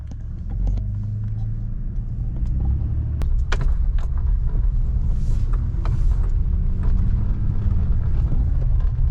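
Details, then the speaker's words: 2005-up D40 Nissan Frontier driving over bumps after wrapping the hood latch in 3 wraps of electrical tape: deep road rumble and soft thumps, front end quiet, the hood squeak gone. "What? No way did that just work. That whole time. 3 wraps of black electrical tape solved the problem."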